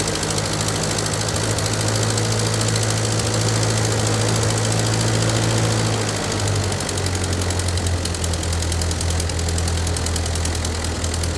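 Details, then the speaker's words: Ford 9N tractor that sat a long time, with a temporary wooden-dowel plug in the block no longer leaking coolant: steady, even low rumble at constant speed with light valve tick on top. Running healthy; carburetor left unadjusted. "all right now she's running good you know believe it or not that little plug doesn't seem to be uh leaking anymore I was going to mess with the carburetor but it's not running that bad right now"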